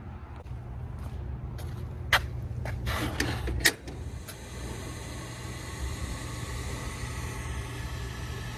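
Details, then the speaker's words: Daikin rooftop unit, two-stage gas heat, after replacing the gas valve diagnosed as failed (no heat), W1/R high and low called: sharp ignition clicks, then an even, low steady rumble as the burner fires normally. "Check your settings. W1 and R, high and low. Gas is on, hit the power."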